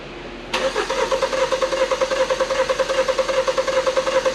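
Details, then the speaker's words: 2015 Hyundai Santa Fe Sport 2.0 L turbo, 200,000 km, rough idle and check engine light, during a scope relative-compression cranking test; lopsided uneven cranking beat about 2.5 pulses a second: one cylinder has no compression. "And that's very clear. Yeah, we are missing something."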